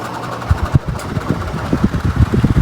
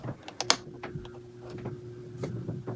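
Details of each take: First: 16-inch Quality Superior pedestal fan that stopped working, hand push-started; labours with irregular low thumps and rattling instead of a smooth hum; seized, dry motor bearings needing lubrication. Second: 16-inch Quality Superior pedestal fan, repaired, switched up to medium: motor spins up over several seconds into a steady rushing whoosh with even flutter and no rattle or scraping; normal fan running.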